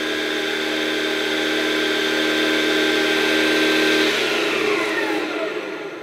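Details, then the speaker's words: 775 DC motor scratch-built mini bench saw, first run on 36 volts, clamped to bench: clean steady high whir at 4,665 rpm, in line with 24 V and 30 V readings, winding down smoothly; blade now runs true with no wobble or rub. "thousand six hundred and sixty five rpm which is probably about right given what readings we got on twenty four volts and thirty volts and also of course it's now the blade is running true which is which is much much better"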